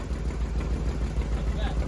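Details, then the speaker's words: 1994 Corvette (manual) idling: quick steady low thumping over a rough idle, about six or seven a second, present with the clutch released and gone with the pedal pushed in; owner suspects clutch or transmission, maybe flush fluid. Cause unconfirmed. "the noise comes back. Push it in. It's quiet. Let it off. Yeah, something in that clutch."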